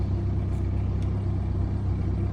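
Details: BMW 1 Series N47 diesel right after a cold start: low, uneven idle with a lumpy pulse and faint stumble; rough idle, cause not yet known.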